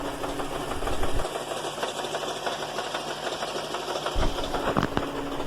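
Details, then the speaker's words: GMC Acadia/Buick Enclave/Chevrolet Traverse idling: rapid tinny clattering rattle, loudest from underneath. Flex plate to torque converter bolts were loose after a previous transmission replacement without thread locker. "by now i imagine it has become apparent to you that you realize the torque converter bolts were loose someone previously put a transmission in this vehicle"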